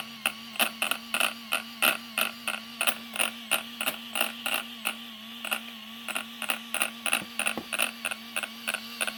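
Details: Arrma Kraton RC car after installing a new servo: sharp, bright clicks about three a second over a faint steady hum, with neither wheels nor servo turning.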